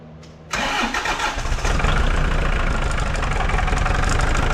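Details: New Holland TC45DA compact tractor diesel after a fuel filter change, with the filter housing bled of air: brief crank, catches within half a second and settles into a steady, even idle with no misses or knocks.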